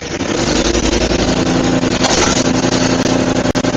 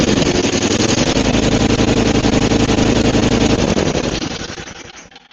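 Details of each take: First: Murray 5HP 24-inch snowblower (Tecumseh) after head gasket and carb repair, auger engaged for the first time: engine runs fast and even, brief clatters from a couple of rocks in the auger; solid runner. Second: Roadside Murray 5 hp 24-inch Tecumseh snowblower after head gasket replacement and carb cleaning: loud rapid firing near redline, almost running away before dying off; overrevving because the governor spring is too tight, suspected cause of the blown head gasket.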